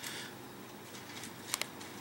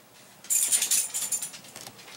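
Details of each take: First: Dometic DM2652 RV fridge, replacement quieter cooling fan in the cooling stack, replacing the noisy stock thermostat-controlled fan: faint even airy hiss, no hum, buzz or rattle, almost dead quiet. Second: Stock thermostatically controlled cooling fan in a Dometic DM2652 RV fridge cooling stack: loud airy whir with steady mid-pitched hum after handling clatter, noisy before replacement with a quieter fan.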